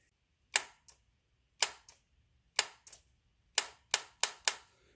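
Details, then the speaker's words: Honda Civic with 200k miles, newly installed AC compressor clutch jumped directly to the battery. Sharp paired clicks show the clutch engaging normally; the earlier fault was later found to be the compressor's thermal switch. "I got the new AC clutch installed and I wanted to show you guys what it sounds like when I short out the clutch directly to the battery"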